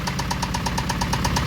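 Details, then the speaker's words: Acura Integra idling on a steady idle right after an alternator replacement and jump start, after the battery sat dead about a month: sharp metallic tap about nine times a second from inside the engine; owner suspects engine knock. "the alternator is replaced, but I think somebody is knocking."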